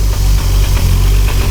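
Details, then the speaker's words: Highly modified 1999 Nissan Skyline R34 GT-R, T88 big turbo, twin-plate clutch: deep idle with uneven chunky rattle underneath from the clutch; clutch rattle at idle. "first thing you'll notice on the car is that it is making a kind of a chunky chunky sound and that sound comes from the clutch the car right now has a twin plate clutch"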